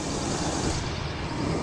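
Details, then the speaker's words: 1979 Ford Pathfinder Quadravan 4x4 just after fitting new carburetor, still needs tune-up and has some vacuum leaks: steady deep rumble, even idle, no misses or surging, no leaks; normal idle. "Motor sounds good too. Not leaking. Not leaking down there. Not leaking up here. That sounds pretty good."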